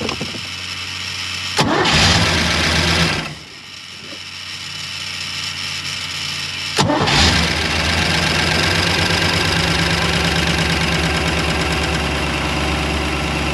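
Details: New built 350ci Chevy V8 in a 1991 Malibu Competition ski boat, first start: a quick crank and pause, then a second crank catches and settles into a steady, even idle. Fires right up; normal start.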